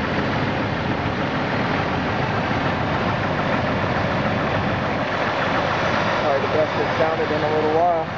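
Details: 2000 Jeep Grand Cherokee Laredo 4.0 I6, started cold after eight hours, at idle: rough repetitive knock, absent when very cold then starting within seconds, seemingly from where bellhousing meets oil pan; present for months, cause unknown.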